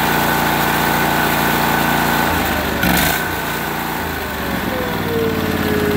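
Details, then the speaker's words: Briggs & Stratton overhead-valve engine on a 450-hour 4016 tractor; runs rough and uneven, note sagging and surging instead of picking up, won't take throttle, smoking, backfiring; oil- or debris-plugged air filter. "so your tractor won't take any throttle it's smoking it's backfiring the air filters either plug the oil or debris and that's what's going on there"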